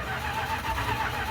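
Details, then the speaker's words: 1978 Dodge D150 Custom with a holed fuel line, first start attempt with power at the coil: starter turns it over at a steady pace but it never catches; owner suspects no spark, not confirmed. "Oh, [laughter] sounds like it's got something in there. Well, at least it turns over. It doesn't sound like there's any spark."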